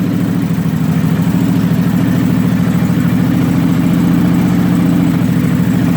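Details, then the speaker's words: 1996 Kawasaki 750, first cold start of the morning, rectifier shorted and disconnected; choke set and increased to raise revs, settles into even, steady fast idle with no misses: cold engine running cleanly on choke. "make sure the choke is set, give it a little fire up. Choke it a little more, get the revs up."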